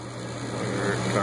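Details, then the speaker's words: Gas furnace in a no-heat call, panel removed: the inducer fan motor hum comes up smoothly and holds an even pitch on startup; normal inducer startup. "so there is the system you should hear the induced pan motor and there it starts"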